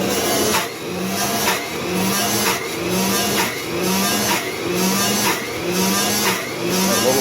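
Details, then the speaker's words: 1930s Cinderella washer with a 110 V 2 A universal AC-DC motor, after too much soap was diluted: even motor drone with a regular slosh and swish about once a second, smooth and steady, normal agitation with no suds lock. "This is the sound without any s block."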